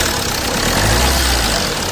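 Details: Jeep Compass diesel at idle after the front-end vibration noise repair (fan belt removed and checked, mounting, diesel filter, ACM and brackets refitted): steady, even idle with no rattle, vibration or chirp from the engine front; noise fixed, sounds healthy.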